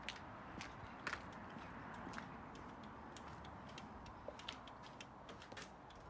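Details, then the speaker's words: 1300 VW Beetle: soft light clicks about once a second over quiet background; hazard flasher relay ticking, hazards working normally. "And the biggest improvement is I've got the hazards working. Look at it, it's flashing."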